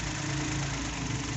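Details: Suzuki Every wagon (Japan-assembled) petrol engine idling roughly with a lumpy, shaking beat as one cylinder keeps missing; check engine codes P0300/P0302, cylinder 2 misfire suspected, injectors being checked; cause not confirmed.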